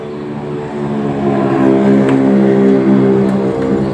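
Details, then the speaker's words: Honda Vario/Beat scooter cranked on the starter: uneven, wobbling rough run with a pulsing beat as the crankshaft visibly wobbles on the right side, a bent crankshaft caused by hammering the left crank end when removing the roller housing. "Sebelah kanan. Itu ya. Nah, itu baling itu. Kelihatan ya."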